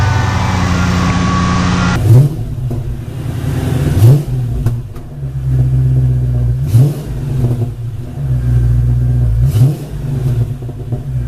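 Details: Mercedes-Benz AMG SL55 supercharged, start-up and revving after installing a 77mm blower pulley: catches, settles to a deep idle, then four clean blips rise and fall smoothly without misfire or rattle; healthy.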